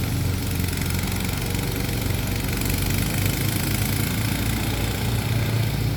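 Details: Kawasaki engine on a mower that was smoking from the flywheel, running after swapping in a 401v ignition coil from a John Deere walk-behind mower; smooth, steady low hum at idle without surging or missing, purring normally.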